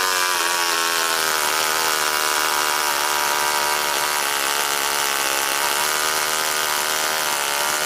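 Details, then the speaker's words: NR200 8.6cc twin-cylinder four-stroke glow engine (rated 22,000 rpm), first start-up, factory settings, run briefly without the water cooling system hooked up: fast, steady high-pitched buzz, even tone, no misses or rattles, revs up very quickly; normal running. "I don't want to run it too long without the water system in there, but wow, that sounds cool. Wow, that revs up really, really quick."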